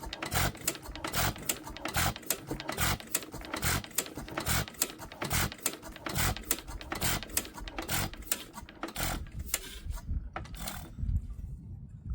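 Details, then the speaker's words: 100+ year old Amanco stationary engine, cold start, needle valve open to the notch: sharp clicks about two a second as it is turned over with no firing; cranking, no start, owner suspects flooding. "I'm going to try it on the notch. Let's see if she'll fire up. Nope."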